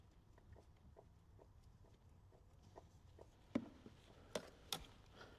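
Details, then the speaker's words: Mercedes C63 S AMG W205 with adaptive front shocks, knocking over light bumps. Car bounced by hand and traced with a stethoscope. Faint taps, then three sharp knocks. Worn offside front shock absorber, possibly both. "Yeah, definitely shock absorbers. >> Right. >> The final verdict come from the shock absorbers."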